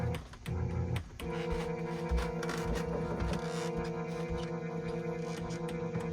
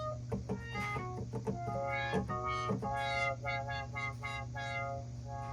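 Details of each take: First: Korg Trident synthesizer at its first power-up after power supply capacitor and wiring repairs: a steady string chord drones with no keys played and the synth section is silent. It is a keying fault, possibly power-supply related. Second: Korg Trident synthesizer under repair: brassy notes swell and close as the brass filter is swept over a steady low hum, so the brass filter works normally, while another section gives no filter at all.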